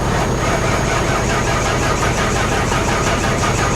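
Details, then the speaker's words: 2021 Hyundai Venue flood car cranked on booster pack with water in the engine, feared locked up: labored slow cranking with heavy, uneven pulse and no catch as water in the cylinders drags the starter. "yeah there's the booster pack beeping it's cranking there's water in the engine we should not be cranking this car"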